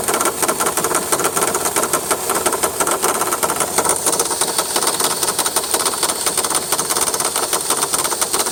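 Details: 2003 VW Jetta 1.8T ticking at idle: fast, light tick over steady idle, persisting after tensioner pulley replacement; owner suspects water pump or power steering pump, cause not confirmed.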